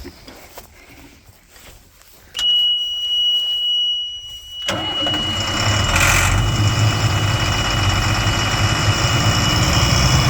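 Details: Abandoned military-surplus M1078 LMTV diesel truck with new batteries, first start after bleeding fuel and hydraulics: long high starter whine, then catches into a lumpy, uneven idle with dense clatter; rough idle.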